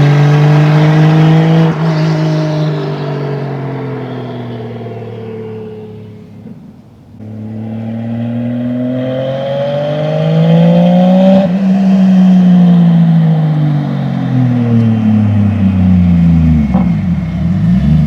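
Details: 2JZ-GE NA-T swapped MK3 Toyota Supra, recorded from outside while pulling: the engine pulls hard, then stumbles and breaks up under boost. It is still running rich and the owner suspects the injectors; overly wide spark plug gaps were later found to be the cause.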